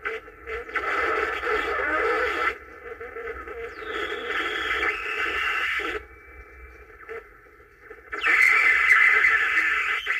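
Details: 1950s Angell 6-transistor AM radio, first power-up after resoldering and fitting batteries: hissy, crackling static with a high whistle between faint stations. The owner suspects bad capacitors or a bad antenna; not confirmed.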